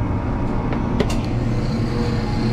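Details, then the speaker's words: Perlick Quick Chill Power Pak beer dispensing glycol system (refrigeration lines freezing complaint), glycol circulating pump just switched on, condensing unit off: steady low hum with light clicks, no rattle or grinding, water seemingly moving; pump running normally. "definitely came on and seems like some water is possibly moving. Pump is on."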